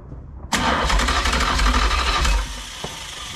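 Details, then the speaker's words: Ex-motorhome Mopar 440 big-block V8, long unrun, hot-wired from a battery, crank check before ignition hookup: strong, even starter churn about three beats a second, no catch or fire; cranks fine. "we have crankage that's a good sign"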